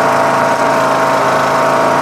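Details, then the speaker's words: Yard Machines MTD lawn tractor with a 20 HP Briggs Intek engine, on its third replacement carburetor (the earlier ones surged): smooth, even idle with a steady note and no hunting or surging. It runs great with no adjustment. "Man, does that sound great or what? That sounds like awesome, you know? That sounds great. Sounds wonderful. See what a difference a carburetor makes, man."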